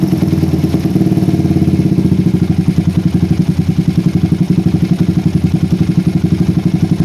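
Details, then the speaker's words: PE24 carburetor with the stock needle jet, J6ZB needle, size 35 pilot jet and the air screw almost fully out. A lumpy single-cylinder idle wavers and hangs; it runs too rich at low rpm, blamed on a needle jet of too large diameter and too short. "saya gak dapat RPM yang teriak ya ini artinya untuk RPM bawah ini terlalu basah guys ya padahal saya menggunakan PJ ukuran 35 aja guys dan IDnya juga gak bisa stabil kayak gini ya agak naik turun sedikit"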